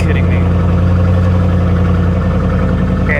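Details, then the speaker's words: 1984 GMC/Chevy G20 conversion van, abandoned for years and a suspected flood car, at Copart: it starts right up into a steady low drone, even and unbroken with no knocks or misses; a healthy idle, transmission sounds good. "it sounds good the transmission"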